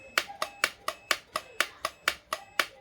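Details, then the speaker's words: Electric kettle under repair: crisp, sharp clicks about twice a second as the switch is flicked on and off; the switch is fine and the fault is in the base. "bật cái công tắc này các bạn nghe tiếng rất rất khoát nhé thì là không không không hỏng công tắc nhá"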